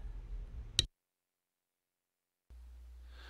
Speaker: Alrighty. So I can definitely hear the buzzing. And we want to fix that buzzing.